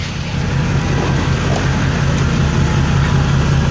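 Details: Diesel truck (C4 application) idling after FASS Titanium fuel filter and water separator replacement and priming, fuel recirculating to tank: steady, even low rumble, no knocks, misses or surging; normal idle.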